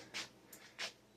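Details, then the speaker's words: 15-inch CRT monitor powering up on test; two or three sharp hissy clicks about half a second apart in a quiet room, then a dim picture; flyback suspected moist/faulty. "Hopefully it doesn't blow up in flames. That was a nice sound. I like that sound."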